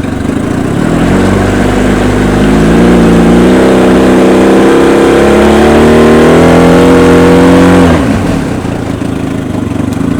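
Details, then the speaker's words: Mikatsu 30 outboard after spun crankshaft splines repair, ignition timed by strobe, thermostat opening: clean, even note climbs smoothly as it revs and drops back cleanly, no misses; runs very well, though the coil under the flywheel needs replacing. "Мотор работает очень хорошо. Есть термостат. Термостат открывается."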